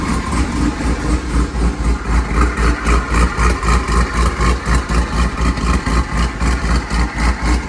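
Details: C5 running after a torque tube rebuild, new clutch, rear main seal, billet oil diverter, gaskets and CV axle seals: a deep, even idle pulsing about four times a second, rock steady with no knocks or misses; a healthy engine.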